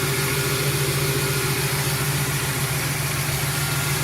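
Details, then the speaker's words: 2008 Express van after engine swap, first start without upper radiator hose, number one plug wire damaged: smooth, quiet V8 idle with faint regular snapping tick as that spark plug wire arcs; no misfires. "that spark plug wire is arcing awesome no misfires just feels nice and tight"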